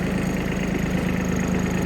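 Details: Kubota Aste A-13 mini tractor diesel, idling during the steering check before the hood is opened: steady, even low chug with a smooth rhythm and no knocks or rattles; normal idle.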